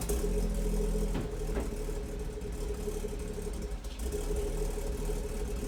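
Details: BMW M240i B58 after a catless VRSF downpipe install: low idle with an uneven, lumpy beat and small stumbles; rough idle since the install, cause not pinned down.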